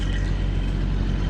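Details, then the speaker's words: 1989 Jeep Cherokee XJ, recently bought, just started: deep, even low rumble with no knocks, ticks or misses; steady, healthy-sounding idle. "but pretty nice sounding jeep"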